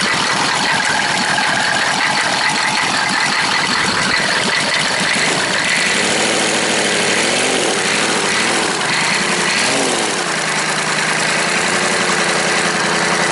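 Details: Freshly rebuilt 6.2L-to-6.5L diesel V8 conversion idling after its first start, about 30 psi oil pressure at idle. Even, rattly clatter with no knocks or misses: normal idle.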